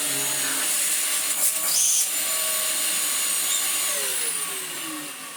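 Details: Dyson DC04 Absolute Plus upright vacuum after motor replacement and a different clutch with fresh belts fitted: high steady motor whine with handling noise, pitch sliding down as it winds off; healthy motor, repair a success.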